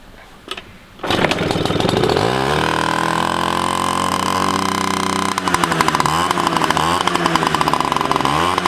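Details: 1985 Yamaha QT50 scooter after fixing the ignition key switch position: catches after a second and revs with a crisp, even two-stroke buzz that tracks throttle cleanly.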